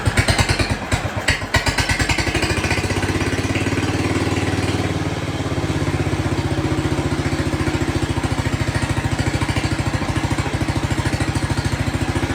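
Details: Jacobsen Chief 1200 tractor, cast-iron Kohler 301 single, after sitting about 3 years; aftermarket Chinese carburetor adjusted. Steady, even putter at idle with regular firing and no misses or hesitation. No smoke; normal, healthy idle.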